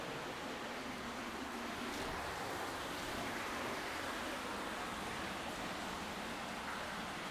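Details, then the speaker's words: Sewer lift station, traced along the pipe with a mechanic's stethoscope: a steady, rhythmless rushing hiss as fluid seeps back past a failed, leaking check valve. "yeah yeah so work your way down and follow it you can hear it yeah you can hear it hissing right"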